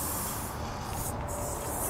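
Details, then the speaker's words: Tire with puncture during roadside plug repair from a kit: short steady airy hiss over faint rumble; plug didn't seal at first, air still leaking. "well it didn't take I could still hear it hissing right there see stopped but it's still going to try"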